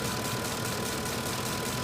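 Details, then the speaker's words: 2006 Ford F-150 5.4L three-valve V8, mileage stated as 999,000, with new spark plugs and a new Motorcraft coil after an earlier coil code. Uneven, lumpy idle with visible engine shake that feels like a misfire, but no codes are thrown. "RPM but you can feel it inside the cab like it's misfiring but it's not throwing any codes whatsoever"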